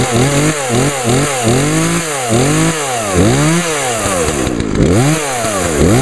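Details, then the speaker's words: Grandfather's lawn equipment, small two-stroke started for 2014 season: revs up and drops back cleanly about once a second, crisp even firing, no stumble; starts easily and runs well. "That baby runs good. Sure did. That thing started up as easy as my chainsaw did."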